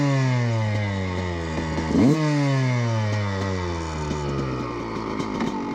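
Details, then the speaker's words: Two-stroke dirt bike at about half throttle after moving carburettor needle leaner from a too-rich position: revs fall and pick up cleanly with steady even firing, no spitting; smooth midrange running. "certainement beaucoup de course plus lisse oui c'est beaucoup mieux"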